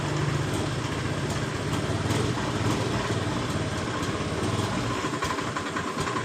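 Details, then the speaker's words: Honda Beat eSP scooter that idles normally but dies or sputters when the throttle is opened: ragged, uneven running that loses power; fuel pressure should be 42 PSI, and low pressure points to a failing fuel pump. "perhatikan motor ini ketika kita tarik tuas gas motor ini brebet atau hilang tenaga ketika kita kemudian ditolak seperti [Musik] ini"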